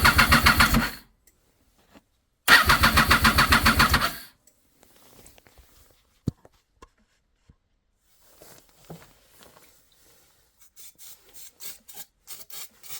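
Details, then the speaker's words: 2007 Triumph Daytona 675 crank-no-start with spark on all three plugs: starter cranks evenly, engine catches briefly on brake cleaner sprayed in cylinders then dies; owner suspects weak fuel pump or clogged pressure regulator/injectors, new fuel pump bought, fix unconfirmed. "So yeah, it wants to start on brake cleaner."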